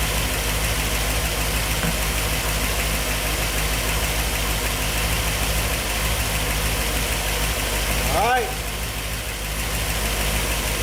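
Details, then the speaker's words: 1964 Ford Thunderbird FE 390, Edelbrock Pro Flow EFI, after fuel mapping changed to fix lean starving, still learning: deep steady V8 burble, even beat, no misses, stumbles or knocks — normal idle. "okay got it guys I had to make a call to uh edel Brock and we had to changed the fuel mapping a little bit it was starving itself essentially but oh yeah sounds good"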